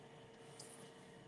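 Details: Home gas furnace calling for heat: the draft inducer motor runs with a soft, constant hum, steady tone and no rattle or squeal. Normal, though the glow igniter then fails to glow.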